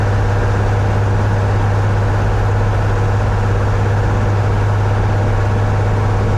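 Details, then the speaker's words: 1961 Cessna 172B after a six-month restoration, first full-power run-up outdoors in winter cold with snow: a steady, strong, low droning roar with no surging, misses or knocking; healthy. "so there's enough snow on the ground and it's slippery enough that full throttle you can't hold it hold it still"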